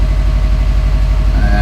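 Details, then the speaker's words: 2012 Subaru Forester XT S-Edition turbo flat-four, idling right after start following an oil and filter change with Penrite 10w-40; engine cranked first to fill filter and lines, oil light went off almost straight away; smooth steady idle, no ticking or knocking; normal. "let everything fill up with oil and then we'll start it up oil pressure went off almost straight away just let it auto for a second"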